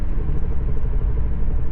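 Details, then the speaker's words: Off throttle, a low, steady helicopter-like throbbing hum comes from the front end under the road rumble and goes away on throttle; the owner lists several possible causes, including loose lug nuts. "Gazdan ayağımı çekince yine aynı şekilde. Helikopter sesi gibi. Aynen helikopter sesi gibi. Ses geliyor."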